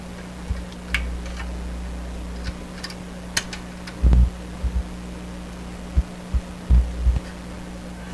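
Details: Sparton 1567 tube radio, wiggling a loose tube socket; steady low hum with scratchy clicks and crackles; fault suspected around that socket, cause not determined, connections to be resoldered.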